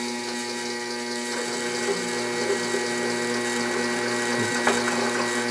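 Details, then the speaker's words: Walker Turner drill press on a DC motor at 100 rpm with a 3/4 inch bit: steady hum, gear whir and ratcheting tick as the motor labors during the cut, current rising from about 2.5 amps, expected to stall; speed too low. "I expect this to stall out here presently"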